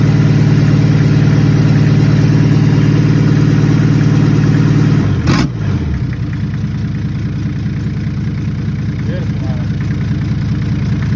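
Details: Toyota 1HZ diesel in a 75 series LandCruiser parked 12 years, first run after priming and glowing; steady, even low idle clatter with one brief bump midway, otherwise smooth; normal diesel idle.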